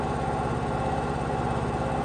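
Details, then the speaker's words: Ported Stihl MS500i chainsaw holding a smooth, even idle with a steady quick putter, no stumbling or surging; runs strong and idles as it should; normal idle. "that saw runs strong it idles it does everything it's supposed to do from the factory"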